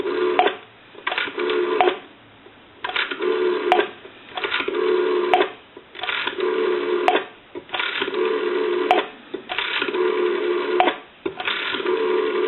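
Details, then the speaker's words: GPO P&T 606 rotary dial desk telephone from Ireland, final checkout after repair conversion; rotary dial cleaned, adjusted and oiled, now turns smoother. Dial tone cut into bursts with crisp, evenly spaced clicks as each digit returns: normal rotary dial pulsing. "you're probably going to notice that from the initial checkout that rotary turns a lot smoother than it did when it came in"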